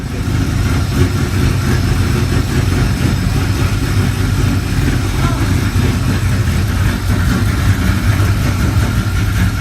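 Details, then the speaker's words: Mustang GT, untuned, just fitted with a Vortech V2 supercharger, Comp Stage 4 cams, Kooks longtube headers and X-pipe, Spintech exhaust, Accufab plenum with 75 mm throttle body and ProComp intake: a deep, lumpy, loping rough idle. It is going to a tuner. "here's a little clip of a car running untuned so it's rough but take a listen let me know what you think"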